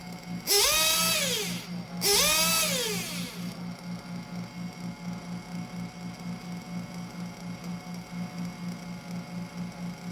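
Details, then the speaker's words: 1/8 RC nitro engine during carburetor tuning: a steady idle, then two throttle blips to a high scream that sag back slowly to an uneven burbling idle. It is still loading up rich, so the low-speed needle is leaned further. "so there i waited a bit just let it idle it does idle steadily but then i get on the gas and it still seems that the engine is loading up that it's rich"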